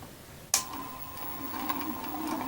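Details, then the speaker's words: DIY electric spinning wheel motor at relatively slow speed, flyer turning clockwise: steady whirring hum with light irregular rattling, mainly from a ball bearing whose balls can be heard colliding despite added grease. "so this is the noise that it makes also because of the moving parts but mainly because of this ball bearing there's a you can actually hear the balls inside colliding because no matter how much grease i put in here is not enough"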